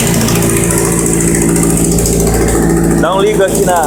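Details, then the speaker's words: Kawasaki Z750 motorcycle idling cold: a fast, tinny metallic rattle rides on the firing beat from the front, sounding like engine knock but caused by a cracked plate at the exhaust header mouth, a known Z750 problem. "aí que que realmente acontece é um probleminha no coletor entendeu galera o coletor que trinca na boca lá uma chapinha e fica fazendo um barulho feio tá ligado"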